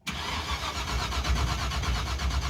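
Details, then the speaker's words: Roadkill V8 with borrowed fire-truck coil and ignition box: even rhythmic cranking that never catches; box light blinking, no spark; distributor rotor fine. "it's blinking that's weird dude that's got no spark nope"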